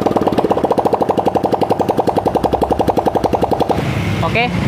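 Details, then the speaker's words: Yamaha Mio J scooter idling after piston ring replacement for white exhaust smoke: quick, steady putter about three to four beats a second, clean even firing; no more smoke, engine dry and smooth, normal idle. "Nggak ada lagi kebulan ya teman-teman. Mesinnya garing, halus."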